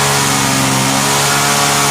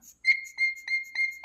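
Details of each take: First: Vintage Hot Wheels gas go-kart small single-cylinder engine, after sitting about 10 years, running without its cover: unsteady wavering buzz at high revs; owner suspects mixture, which needs intake restriction. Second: Vintage Hot Wheels R1NX gas go-kart, sat about 10 years, after cleaning the primer bulb's one-way valve: high thin whistle with each bulb squeeze, about four squeezes a second; fuel now flowing normally.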